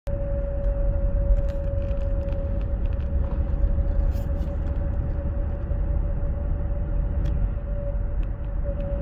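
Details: 2016 Ford Explorer 3.5L, 6-speed AWD, 92k miles: steady mid-pitched whine over road rumble while cruising above 50 mph on very light throttle, stopping when throttle is released; owner suspects transmission or PTU.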